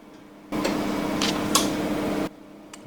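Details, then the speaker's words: Hotpoint SI4 854 C IX circuit-board oven: sharp click starts a steady hum drawing 2,850 watts, another click cuts it off; heating element relays switching normally. "two relays clicked then we've got 2,850 watts of power being drawn"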